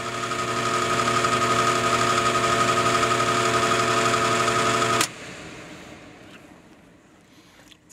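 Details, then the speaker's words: Goodman HVAC indoor blower, capacitor connection remade, compressor disconnected: steady hum with a strong fixed tone and rough buzzy edge. The blower motor is failing and is replaced. "I'll flip the breaker [Music] on doesn't sound very good to"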